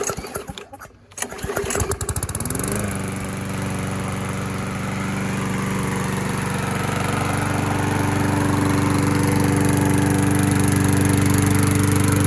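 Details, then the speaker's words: Classic Briggs engine after an oil sump replacement, cleanup and 20 ounces of SAE 30 oil: fires after a couple of pulls and settles into a steady, even beat with no misses or knocks. Normal running. "that's my man this one runs really good too"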